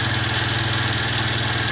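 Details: Chinese single-cylinder scooter, about 12 years old with about 430 miles. It had spark, gas and compression but would not start until the battery charger was turned up. It now idles smoothly and steadily with no misses.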